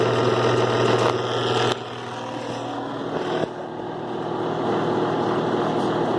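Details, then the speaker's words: 2005 Kenmore 70 Series direct-drive washer after water pump service, on low spin: steady motor hum with uneven rattle about four times a second; strange noise during spin, coupler suspected. "o poner modo Spring alta modo alta ya quedó bien la bomba pero voy a poner Spin Low ese ruido extraño creo que a lo mejor puede ser y que está haciendo el ruido no sé por"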